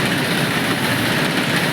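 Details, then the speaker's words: Idling engine with a constant rough whirring hiss from a worn, scarred auto tensioner and idler pulley, also blamed for damaging the alternator; bearing noise from the worn tensioner and idler pulley. "ये देख सकते हो आप कितने निशान पड़ गए हैं और ये आवाज भी तरह से और ये दूसरा आइडल इसकी वजह से बिल्कुल खराब हो चुका है।"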